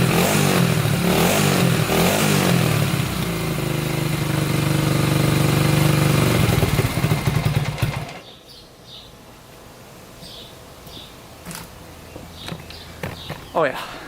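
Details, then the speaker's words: 1987 Honda 250X after new valves, rebuilt top end and new coil, warm restart after adding fuel: steady single-cylinder thump picks up cleanly on throttle, no leaks; normal running and revving. "i'd say that's a success engine's not leaking anything sounds really really good"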